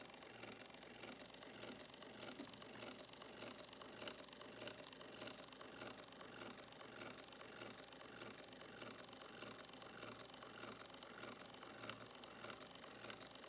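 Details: Rebuilt 1905 Victor II phonograph, 120-year-old brass gear on steel being worked in with graphite while running. Faint, uneven ticking and whirring about 100 per minute over a quiet hiss: straight-cut gear mesh noise.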